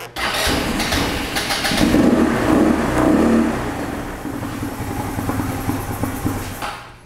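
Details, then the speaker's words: Genuine Buddy 150 scooter no-start: cranks briefly, then catches into an uneven putter only after carb cleaner is sprayed into the intake port to the carburetor, showing the missing piece was the fuel-air charge. "we have it alright so now we know the missing piece in this particular scooter was a charge of fuel and air"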